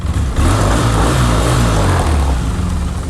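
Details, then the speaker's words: 2004 Polaris Sportsman 600 Twin ATV, long parked, next-day start after earlier starter issue: catches almost instantly and settles into a steady, even low idle with no stumbling; starts and runs well. "runs well haven't had one problem with the starter since we had that initial issue so we're gonna send it with that starter"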